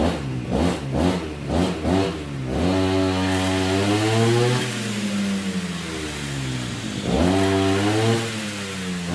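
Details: RBC411 two-stroke brush cutter after its bent blade tips were straightened: buzz blipped a few times, then revved smoothly and held steady without shaking or rattle; running evenly.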